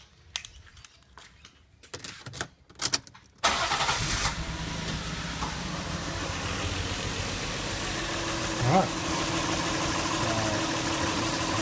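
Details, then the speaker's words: Lexus IS200 petrol engine with coil-on-plug ignition starting into a slightly uneven idle, a recurring stumble. Lifting coil one brings no change, pointing to number one as the faulty coil. An engine misfire at idle. "Obviously there's no change on that one straight away, so that makes me think that it's number one."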